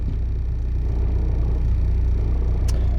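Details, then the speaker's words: VW Golf TDI diesel with single-mass flywheel, just swapped to 6-speed gearbox with hard gearbox mount: steady low diesel rumble with faint regular rattle as the clutch is operated; single-mass flywheel rattle. "Anyhow, yeah, you can also hear the single mass 5-wheel when I operate the clutch,"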